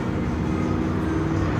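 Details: 2008 Toyota HiLux 2.7 that stopped while going around a roundabout: the starter spins the engine fast and even with no compression pulses. Cranks but won't run, with no compression; it is to be pulled apart to find the cause.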